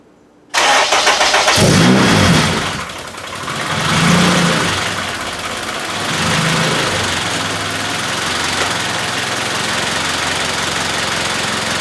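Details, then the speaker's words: K-series engine after a fix for its cold-start rattle, stone cold with no idle air control valve: catches at once, flares high, hunts a couple of times, then settles to a steady idle with no rattle; normal cold start. "it runs perfect it's a little hard on startup because obviously no idle air control valve the motor is stone cold uh but that's why you gotta warm up a little bit"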